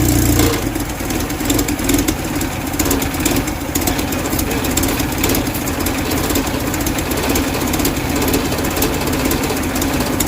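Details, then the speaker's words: 1969 Mustang body on a 2.3L engine with new hybrid HEI ignition and NOS distributor, just started: catches cleanly and settles into a steady, even idle with no knocks or misses; healthy engine, oil pressure 69 psi soon after. "I had that distributor right on point because this thing popped off with no problem. Sounds like a pretty healthy engine so far."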